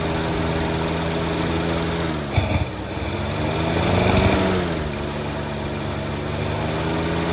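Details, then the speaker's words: 1948 Studebaker Champion flathead six, warming up on fresh fuel after old gas. A lumpy, uneven idle stumbles about 3–4 times a second and puffs back out of the carburetor; number 6 is dead, and an intake valve is suspected: cylinder misfire. "Yeah, it's definitely got at least one dead one. At least. It might be an intake valve, actually. You can hear it puffing out of the carburetor."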